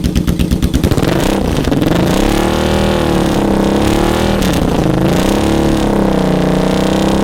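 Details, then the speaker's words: Salvage Yamaha Vmax V4 motorcycle, first start and run: rough pulsing for the first second, then settles and revs up and down cleanly. Owner says it sounds healthy; he suspects he pumped extra fuel while twisting the throttle. "it sounds healthy to me"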